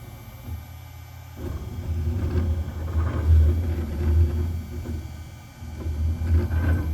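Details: OneFinity Foreman CNC table: low uneven rumble that swells and fades only when X and YB axes move together cutting arcs, not on single-axis moves; owner unsure whether normal or failing.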